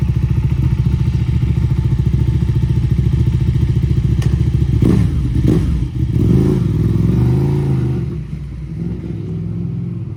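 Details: Ducati Panigale 1299 (1.3 L twin) started after sitting all winter with battery disconnected, after much cranking: lumpy, even twin beat with throttle blips that rise and settle cleanly; running fine.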